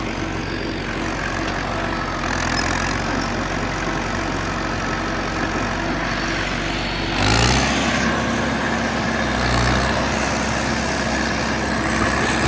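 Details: John Deere 450C bulldozer diesel, warmed up after reassembly, relief pressures set and fluids topped off, backing out of the shop: a steady rumble with a brief rise in revs, running evenly with no knock or misfire; normal.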